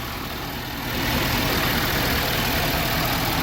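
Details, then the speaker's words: 2012 Ford F-350 Super Duty 6.7 Powerstroke diesel, just after new injectors, CP4 high-pressure pump and disaster prevention kit install: running with some components missing, steady even idle clatter, no misses, knocks or visible leaks. "Well, here it is, boys and girls. The old 6.7 up and running. Missing a few components."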